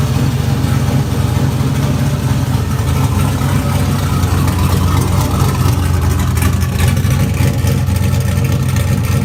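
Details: LQ4 V8 swapped into a Fairmont, running on Holley Terminator X: deep steady idle holding an even beat, no misses or knocks; runs smooth and settled.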